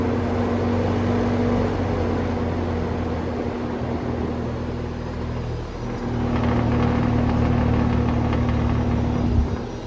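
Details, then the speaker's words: Vintage Sears box fan started on high: strong low mains hum over airflow; motor somewhat warm after brief running, owner plans to disassemble, clean and oil it, cause unconfirmed, maybe parts fan. "I'll have to pull that motor apart and clean it, but based on the amount of hum that it has, even on high, you start it off on high here and you can hear it. I don't know if I like all that noise."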